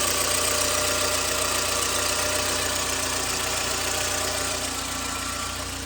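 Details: 2009 VW Gol G5 running Castrol GTX 20W50 mineral oil, which is not recommended for it. At cold idle a fast, light ticking of about four per second sits over a steady hum; the noise was attributed to the oil.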